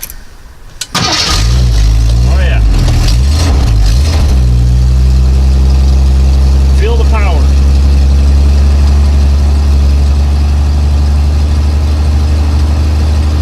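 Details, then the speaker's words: 1980 Jeep Cherokee Chief plow truck, AMC 258 straight-six with BBD carburetor, cold start after sitting a couple hours, a pump of gas: brief crank, catches within a second, settles into a steady, even low idle with no knocks; normal. "all right this hasn't been started in a couple hours so it should be pretty cold to do a little cold start action and what we're hearing every little pump on the gas and hit the key it should fire it up"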